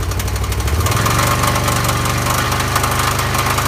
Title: Can am spyder loud engine knocking noise.. What could this be??